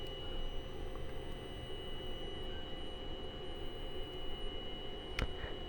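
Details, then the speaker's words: UPS prototype buck converter with 7805 stage outputting 15 V, mic held close, load varied: thin steady high whistle over low electrical hum; whine under load, cause unclear. "can you guys hear that high-pitched whine I'll unload it says unloaded more loaded more loaded that's the noise"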